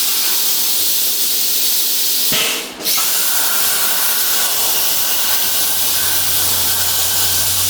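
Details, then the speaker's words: Hypertherm Powermax 45XP plasma cutter, over 5 years of daily use, after a new fan for error 3-10-0 cutouts after 10–15 minutes; fan at near full speed on a 33°C humid day: steady airflow hiss, faint hum, no rattle or bearing whine. "So this is the sound of the fan running. This is pretty much full bore. It's 33 degrees today with a very high humidity, so it often does this, but that fan sounds a lot better than the old one did."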